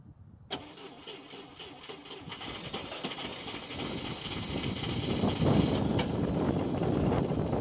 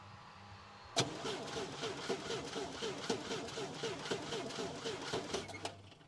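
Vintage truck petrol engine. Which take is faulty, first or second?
second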